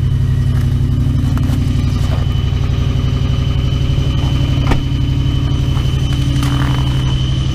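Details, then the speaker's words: 2001 Toyota Tundra 4.7L V8, cold start at -12 with a hard start, idling around 1500 rpm: loud, raspy fast idle with deep rumble and rapid puffing from an unrepaired exhaust leak; belts audible; owner needs a new exhaust system. "i gotta hold my exhaust i haven't fixed yet gotta get a new exhaust system"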